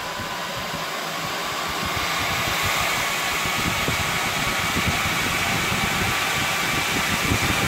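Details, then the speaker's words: NetApp DS4246 disk shelf with two PSUs, empty, powering on: loud jet-like fan rush swelling at startup then quietening; normal startup roar. "and it's very brief when it fires up and there you can hear it's quietening down now and it does even get quieter than that when it's empty"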